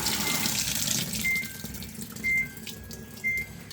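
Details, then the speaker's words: Samsung top-loader washing machine, repaired for not filling with water, door closed so fill proceeds (open door gives error code); steady hissing rush of water with a few short beeps; normal water fill. "but if I close the door it will proceed it will proceed the feeling of the water"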